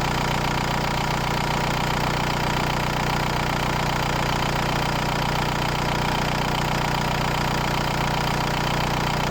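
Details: VW New Beetle TDI 90 ALH diesel with EGR delete and NRJ Car add-on tuning box being adjusted: even, steady diesel clatter at idle with no hunting or misfire, idle smooth and settled.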